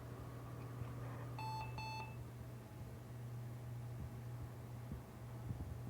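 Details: Thrifted retro PC at boot after CMOS setup changes: two short, high beeps close together over a quiet room hum; POST error, cause unknown, documentation to be checked.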